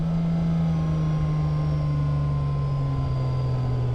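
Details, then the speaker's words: BMW E90 335 single-turbo, about 1000 hp, on a Haltech ECU with a DCT conversion on a CanTCU controller, in neutral: a steady drone well above normal idle that eases down only slightly. The drive-by-wire idle settings need tweaking. "it's uh certainly revving a little bit more than it needs to the cams aren't that big buddy that's something for Dan to fix he's got a dial in the drive by wire still"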